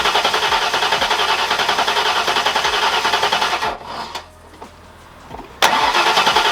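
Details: Ford F100 after re-timing the distributor: the starter churns steadily at about three and a half beats a second, stops, cranks again and never catches; crank, no start with injectors not firing, and fuel versus ignition not yet isolated.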